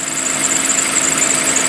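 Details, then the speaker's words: Toyota 2GR-FE V6, about 25,000 miles over 7 years, cold start on a cold day with slow crank: steady high squeal over smooth idle plus valvetrain noise; owner suspects belt or a pulley, squeal goes away. "might be a pulley that's squealing I don't know but like I said it goes away doesn't cause any problems so it's fine"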